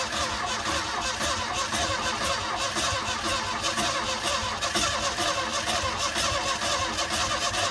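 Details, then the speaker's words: 1977 Ford Mustang II sitting 25 years, cranking on a 50-amp battery charger: steady fast cranking about two turns a second with faint uneven puffs that never catch; almost starts but won't, battery left to charge. "We gotta let the battery charge up. I don't know why it ain't kicking on that sand."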